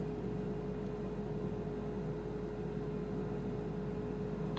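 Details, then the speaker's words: BMW i3 after a new water pump, just switched on. Steady, even hum from the front cooling fan, which came on when it shouldn't. The drivetrain error seems no longer to appear; the owner suspects a faulty EDME unit. "well unfortunately that fan at the front's just come on which isn't very good"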